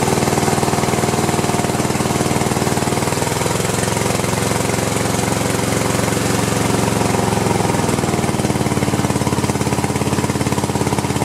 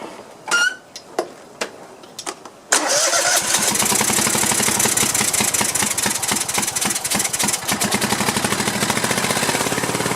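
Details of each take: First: Cub Cadet LT1050 with a 25 or 26 hp Kohler twin that is burning oil, run on one cylinder with the other plug wire disconnected to test each side; choppy, uneven, stumbling firing. Rough running on one cylinder. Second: Cub Cadet LT1050 lawn tractor, Kohler 25–26 hp twin, burning oil and running rough, run on one cylinder with other plug wire off; starts after a few cranks into a quick, fairly even beat: that cylinder fires normally.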